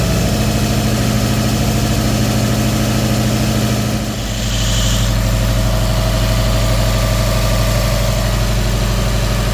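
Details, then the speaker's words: Subaru WRX STI EJ25 2.5L boxer, timing cover off, idles with a steady low drone and a repetitive knock present since purchase; forums suspect a failed hydraulic timing tensioner, unconfirmed. "this is that engine knock we had problem when I picked it up I know it was knocking already that's why I got a good deal picking this up"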